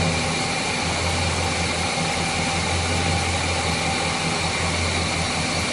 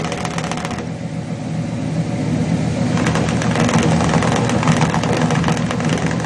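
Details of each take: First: Chevrolet 350 V8 after repair of a failed valley-side intake manifold gasket, which had caused oil consumption, rough idle, hesitation and misfires. Verification test at idle gives a smooth, even drone with no misses or hiss, and previously misfiring cylinders are now healthy. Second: Chevrolet 350 V8 with long-tube headers and a leaking valley-side intake manifold gasket, burning about a quart of oil a day. Idle lope with irregular tailpipe exhaust pulses; cylinders 4, 5 and 6 were weak on the power balance test.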